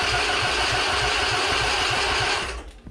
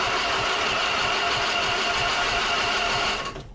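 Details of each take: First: Husqvarna Z246 zero-turn mower with its safety switches bypassed and the starter jumped directly: even chugging at about three and a half turns per second, steady and strong until released; normal starter cranking. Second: Husqvarna Z246 46-inch zero-turn mower, safety switches bypassed, key in Run: arcing the solenoid gives a steady, fast whirring crank for about three seconds that then cuts off; the starter spins when jumped, so the starter solenoid is bad.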